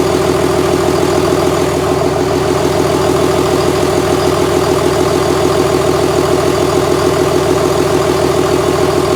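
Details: 2001 Cummins dually pickup diesel, rebuilt after its original 53 block cracked at about 240k miles: 56 block with fresh rings, gaskets and bearings, 53 rotating assembly, 50hp VCO injectors. First start after the rebuild, at idle. Even, regular clatter with no misses, knocks or hunting; normal idle.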